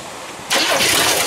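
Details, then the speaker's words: 1982 Chevrolet C10, non-factory 305 small block with 2-barrel carb and HEI, first start after 8 years sitting: quick crank, catches into loud raspy idle because exhaust is disconnected at the manifolds. "remember the exhaust isn't hooked up so it kind of sounds crappy but whatever I'll fix that later"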